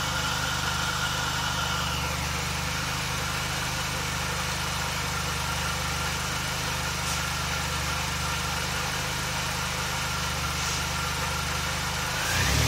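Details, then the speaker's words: 2006 Mini Cooper S with 17% smaller supercharger pulley, 2.5in exhaust, K&N hot air intake, MGK plugs: thin steady whine above engine hum, climbing as revs rise — normal supercharger whine. "I'll try and post the camera up, see if you could hear the whine a little bit better."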